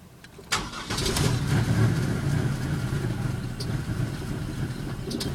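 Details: 2000 Pontiac Bonneville SE: the starter turns the engine over with an uneven, fast chugging that never settles into a clean run. Crank, no start.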